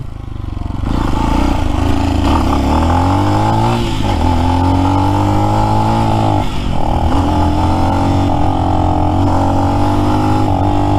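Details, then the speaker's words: New Lifan X-Pect single, under 100 miles, regapped spark plug didn't help: at around quarter throttle it repeatedly stumbles, drops out and catches again. The cut-out was fixed by adjusting out-of-spec valve lash. "there's a certain throttle position it seems to like when it does this it's like quarter throttle you can see that's that's no throttle that little twist and you can see when it dies"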